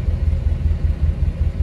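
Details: 1953 Pontiac Chieftain, about 71,000 miles, cold start in freezing temperatures. Catches right away and holds an even, low pulsing thrum with no misses or knocks; healthy cold start.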